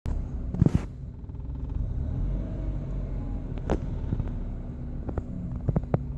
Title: 1998 forester rough idle